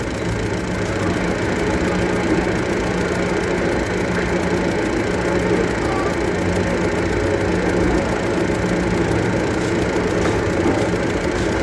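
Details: Hino diesel engine at idle: steady rumble with a faint repetitive tapping knock riding over it; knocking at idle, cause not yet pinned down.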